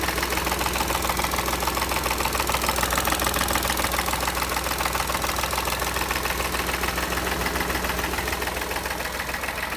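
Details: Engine at steady idle with an even, regular ticking knock about three to four per second riding over it; source of the knock undetermined.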